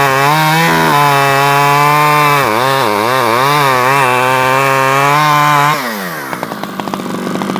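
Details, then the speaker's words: Stihl 011AV chainsaw after a carburetor rebuild and after the coil-to-spark-plug wire was removed, taken apart and refitted: a high steady scream that dips briefly under cutting load, then idles down cleanly. Runs better, normal running. "I took it off and took it apart and put it back on and it seems to run better so"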